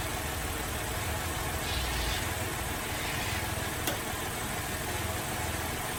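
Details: Holden VZ Adventra Alloytec V6 with an uneven, stumbling idle and irregular exhaust beat as a cylinder drops out; misfire diagnosed by unplugging coils one at a time, found to be a failed number 5 coil pack.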